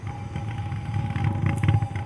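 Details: Low rumbling hum with an uneven, bumping clatter as a pulley rides over unevenly worn, cupped tire tread; the pulsating noise is louder where the tread is high and low and steadier toward the middle.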